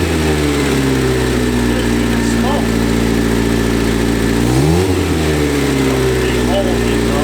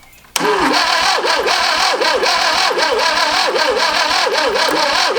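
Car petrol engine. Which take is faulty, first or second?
second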